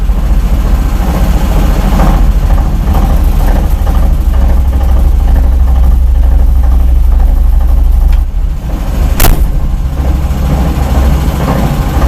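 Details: Driveline where the CV joint was replaced by a cross-joint (U-joint), no play found in crosses; at idle and under load in 5th against the brake, loose uneven knock near the driveshaft between engine and gearbox grows with revs; source unclear, gearbox play suspected.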